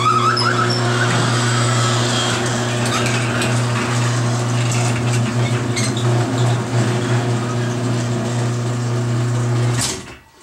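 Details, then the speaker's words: Garage door, about 10 years unlubricated, after first MaxFilm spray on rollers and joints: steady motor drone with continuous rattling, scraping chatter as it travels, then stops; still noisy, dry rollers, quieted soon after wiping in. "Alright. How about that? Still making noise. Well, I think I'm going to have to get a rag."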